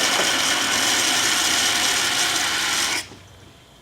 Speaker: in many cases where cavitation is occurring you can even hear these shock wave which sound like gravel moving through a pipe